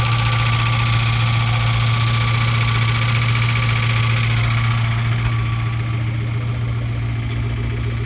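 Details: Car under-hood noise only with AC on, gone when AC off, right after sucking out and replacing power steering fluid; AC still blows cold. Heavy low drone, harsh rattly buzz and thin steady whine; cause unknown.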